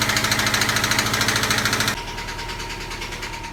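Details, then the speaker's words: 2004 Subaru Legacy B4 engine, hard to start especially hot: hard steady knocking about three times a second over running engine, fading at shutdown; owner suspects fourth cylinder, cause unconfirmed pending teardown. "сегодня у нас вот такой пациент стучащий дико мотор и плохо запускается двигатель"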